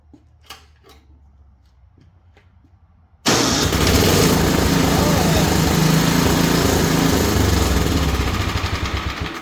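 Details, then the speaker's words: Simplicity two-stage snowblower engine, electric start test after repairs; a few clicks then instant catch into strong, even, steady run with no stumbling. "oh yeah right away right away okay Awesome Moving On"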